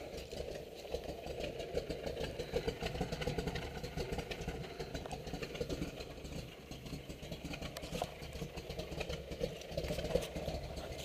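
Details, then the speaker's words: 1969 Camaro Z28 V8 with a big cam at idle: choppy loping idle with deep exhaust burble and slight rattle from a loose exhaust, no knocks; normal cammed idle. "you can hear the exhaust rattling a little bit where it's loose has a nice cam in it sounds really"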